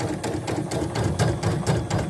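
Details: CNY E900 embroidery machine after clearing a jammed thread: quick, even needle-stroke clatter at a steady rate with no snags or grinding; stitching smoothly again.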